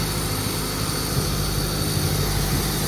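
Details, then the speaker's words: Honda Turbo GSR Integra after cylinder head reinstall and valve adjustment, started right up: steady, even low rumble, no knocks or misses, loud settled four-cylinder idle, some parts vibrating; normal idle. "now, it sounds good."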